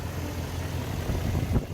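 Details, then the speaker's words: BMW E38 after cooling system repair, refilled and started: steady low idle rumble, even and smooth, no knocking or misses, brief bump near end; no active leaks yet, normal idle. "fire it up fire it up just fine any evidence of active leaks so that's a win"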